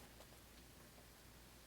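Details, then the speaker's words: Line 6 Spider Valve 112 guitar amp, powered with tubes warmed and master volume up: quiet steady hiss with no signal. Presence control changes the hiss, but the front input is dead and no other controls have any effect. No LEDs light and the LCD shows solid black characters. The rear power amp input works. "then after the tubes warm up you can hear hiss on the master volume when that's turned up"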